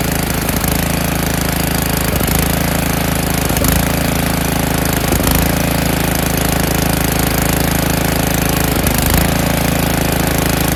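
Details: Snowblower single-cylinder engine, winterized years ago, with oily old fuel, run on choke at high throttle: steady, even running with a rough, chattery tone. A healthy running snowblower.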